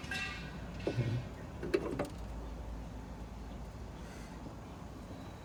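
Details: Mitsubishi Delica D5 diesel, engine bay right after engine switched off: a few quiet, irregular clicks as some unknown circuit or actuator cycles; owner unsure of its purpose or whether restarting immediately harms the engine.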